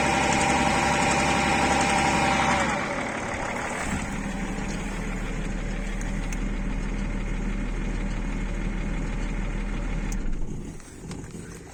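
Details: BMW E39 with M57 3.0 diesel; idle carries a rhythmic knock about three a second coming and going over the clatter: intermittent engine knock at idle, cause unclear.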